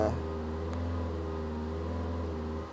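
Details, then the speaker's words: 2002 VW Polo 1.4 petrol with EPC light, on the ramp with wheels off the ground, at full throttle: horrible clackety noise, holds one flat low drone, won't rev, then sags and dies; blocked catalytic converter. "if I put my foot right down a horrible clackety noise and then that's foot flat to the floor and we just oh it's just hopeless"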